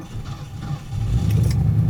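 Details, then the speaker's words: 1979 Lincoln Town Car carbureted engine, cold start in very cold weather with pedal-set choke enabled: engine labours then catches, low uneven rumble slowly firming up; struggles a little, typical, needs about 10 minutes on choke. "struggled a little bit there oh okay that's pretty typical and notice I haven't I haven't depressed the and un enabled the choke yet because I I uh it probably wouldn't start up unless the choke was enabled"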